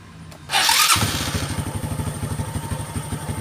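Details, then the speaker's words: Honda Karisma with complaint of hard starting after sitting over an hour, tested after about an hour off following carburetor work: brief starter whirr, catches at once, steady single-cylinder idle; starts easily. "Oke Guys mantap enggak mau langsung langsam ya kita coba kecilin langsamnya ini barusan hidup ya"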